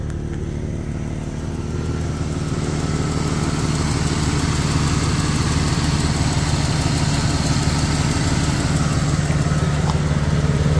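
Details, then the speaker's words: 2001 Jeep Cherokee XJ Sport, about 220,000–230,000 miles, idling: light, fairly even tick about three per second over the engine hum from an exhaust leak; no lifter ticks or knocking, with a possible power steering leak also noted. "ah definitely have an exhaust leak and looks like we got some other kind of leak"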